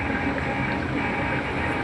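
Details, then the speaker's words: Miyako/Artugo bottom-load gallon water dispenser powered on during repair for not cooling: a steady low hum with an even whir as the pump draws water normally. "Oh, sudah hidup dan air sudah nyedot, Teman-teman. Ya, di situ ada aktivitas nyedot air,"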